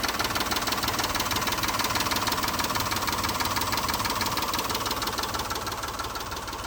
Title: Montero tick or slap. IS this a stuck valve lifter or piston slapping?